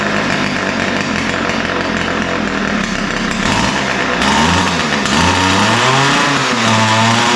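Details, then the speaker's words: Ryobi two-stroke trimmer running rough and uneven, pitch wandering, before carb adjustment; both the idle and top-end mixtures sound lean, so both screws will be opened slightly. Lean running, unsteady idle. "so um you can hear that it runs but it doesn't run that well um it sound sounds like both mixtures are lean the idle is uh doesn't sound right uh typically it'll be a smoother more consistent idle it sounds really lean and the top end sounds lean"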